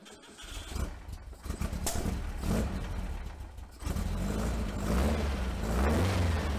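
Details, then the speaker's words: 1956 VW Beetle air-cooled engine with dual Empi 40 HPMX carbs, after cleaning clogged idle jets; timing and carb sync still off. Cranks a few seconds, catches and runs a slightly uneven idle. "we're gonna go ahead and try and fire this bad boy up and see if it'll actually idle."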